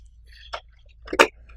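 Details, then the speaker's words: PC DVD drive on bench power: faint click then a sharper double clack as the tray finally ejects; the eject mechanism works only intermittently and is unreliable. "there's noise and you can hear the drive wants to eject oh there we go it does work sometimes and again it"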